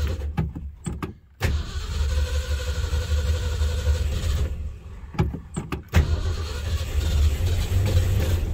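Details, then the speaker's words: Ford Bronco V8, cold after sitting, carburetor worked on, automatic choke on: uneven, lumpy low rumble with irregular beats after some clicks and a brief gap, getting rougher, running rich with a strong gas smell. "he's running little rough yeah i can already smell gas the automatic chokes on right now it's getting rougher and rougher"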